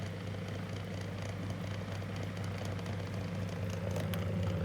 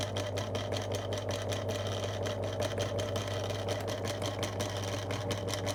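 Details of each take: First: 2002 Lloytron F029 9-inch desk fan after repair, high speed: even, steady motor hum with only a faint light rattle; runs as it should, much improved. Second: 2002 Lloytron F029 9-inch desk fan on low speed, little grease in the motor: low steady hum with rough, uneven rattling tick; dry, rough-running motor.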